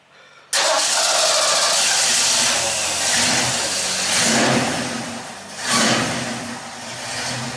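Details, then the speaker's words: 1969 Mustang coupe V8 just fitted with new dual exhaust replacing straight headers: quick crank and catch, then a deep, even burble with a couple of light blips, much quieter than before; smooth, healthy start. "Oh, that sounds a lot better. Sounds a lot better. Yeah. Yeah, you can hear yourself think in the car now."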